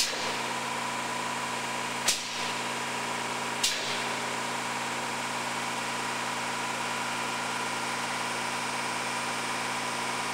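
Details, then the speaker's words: Orii 6600 lb servo press feed line (model LCC-06HB4HAX-EAX), main reel motor running forward, jog switch pressed: even motor hum with two sharp clicks about 1.5 s apart as the clutch engages and the mandrel spins; normal mandrel jog with clutch engagement. "And then we got the jog switch right now, and I'm going to jog it, and you'll see the mandrel take off over here, and you'll hear it too, the clutch coming"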